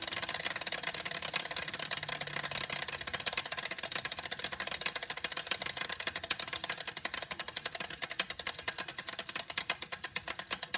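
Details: CycleOps Hammer smart trainer, heavily used for three months: a fast, hollow ticking rattle in time with the flywheel, slowing as it coasts. It appeared after a Zwift session with sprints and is new even at slow pedaling.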